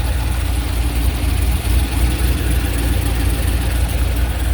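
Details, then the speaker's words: C5 Corvette Z06 V8 after the heads/cam/intake swap: BTR Stage 3 cam, CNC 243 heads, FAST 92mm intake, LS2 throttle body, 1 7/8 headers. Deep, choppy, lumpy idle at about four pulses a second: the lope of a big performance cam on a healthy engine. "Right, let me know what you guys think on how she sounds. It's not obnoxiously loud, but you can definitely hear that cam."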